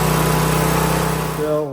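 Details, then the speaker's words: Briggs & Stratton V-twin on John Deere LA-series mower, governor tab being bent to correct speed someone had cranked up: steady high full-throttle drone, pitch sagging briefly near the end, still overspeeding, needing more adjustment; engine overspeed at full throttle. "Well, that's to solve the problem was somebody cranked up the speed on the motor, which affects the idle."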